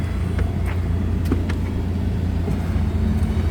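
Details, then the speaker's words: 2017 Ford F550 4WD bucket truck, 6.8L gas, brake popped so PTO whine stops: deep steady rumble idling down to a smooth, even low idle with no knocks or whine; Thermo King in background; healthy. "but I don't know if you can hear that whining noise that's a PTO running if I pop the brake it'll go away if you can hear it idle down"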